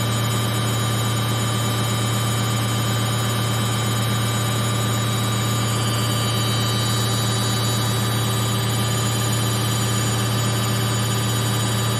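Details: Samsung 8kg Eco Bubble front-load washer, fast spin in last 4 minutes of baby care cycle; smooth steady hum, constant motor whine, no thumping or rattle: stable, no vibration, balanced spin.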